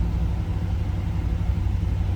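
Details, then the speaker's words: 1975 Pontiac Trans Am with numbers-matching 455 HO V8 and 4-speed manual, cold start on high idle before warming up: a deep, steady burble with even firing and no knocks or misses, a healthy cold fast idle. "We're on high idle since that was a cold start."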